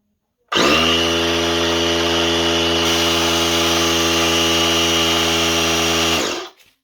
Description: I put together two fridge compressors together to fill an 8 gallon tank silently.